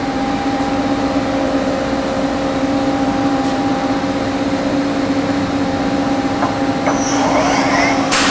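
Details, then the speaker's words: 1986 Okuma & Howa Millac 4VA 3-axis CNC vertical machining center, CAT-40 spindle (60–6,000 RPM, two-step), run in MDI at low speed before stepping to 1000 RPM: steady, even hum with two clean tones, no knocking or grinding; normal quiet spindle. "i'm sure it's magnified what uh spindle noise you can hear but it's nice and quiet"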